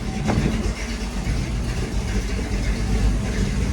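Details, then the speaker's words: 1937 Ford engine being revived on the farm, just started on a key switch: low, even idle with a steady beat, no knocks, misses or rattles; healthy running. "It starts right up. Runs nice. Taking the fuel. Sounds good. Gauges are working."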